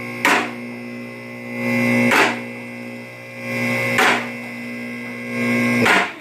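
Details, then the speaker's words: Automotive lift going up, after adjusting the nut to synchronize the two sides: the motor hums steadily with one crisp clack every couple of seconds as both locks click together, normal. "They're clicking together, right?"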